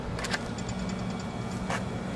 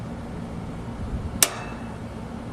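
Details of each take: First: Split air conditioner outdoor unit when the fuse block is inserted, run capacitor removed: low steady electrical hum with no run-up, the compressor trying but failing to start without the capacitor. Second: American Standard/Trane outdoor AC condensing unit, contactor with some wires removed: one sharp clack over a low steady hum as it pulls in when energized; contactor working normally.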